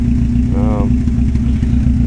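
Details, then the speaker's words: Engine with a blown head gasket (water poured from a plug hole), about 40 minutes of running after adding Steel Seal: low lumpy idle near 1,000 rpm with occasional skip; smoke has mostly stopped, owner blames water in the oil. "uh stop smoking pretty much and stop blowing out stuff for the most part hopefully that's a good sign um sounding a little better still skipping a little bit now in a little bit"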